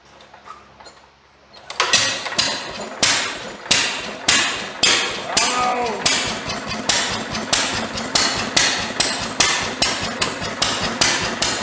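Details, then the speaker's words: IHC LB 3–5 HP International engine driving a press, hard to start: slow steady cranking with fresh spark plug, and it fires only once and won't keep running; cause not confirmed. "I think it hit one time and that's about it"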